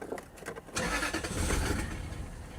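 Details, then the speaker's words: 1996 or 1997 Lexus LS400 abandoned 10 years: starter churns, engine catches and runs roughly under two seconds, then dies. Start-then-stall; spark is present, owner suspects an immobilizer or fuel system issue. "That actually seemed like it ran a little bit longer."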